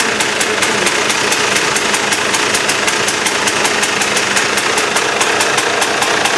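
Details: KTM two-stroke after replacing reed valve: crisp bright buzz running evenly, no misfires or sputtering; sounds much better than before the repair; normal running.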